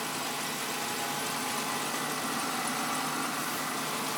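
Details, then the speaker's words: Engine warm-up whistle, heard only through the closed hood and not with it open: warm-up idle has now dropped and the whistle is gone, leaving an even, steady, quiet idle hum; normal idle. "Прогревочные обороты упали, свист пропал."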